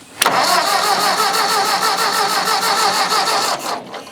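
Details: Old Ford tractor, possibly an 8N, after starting fluid with intake off: starter churns steadily at about three beats a second for three seconds, engine never catches; too much throttle suspected.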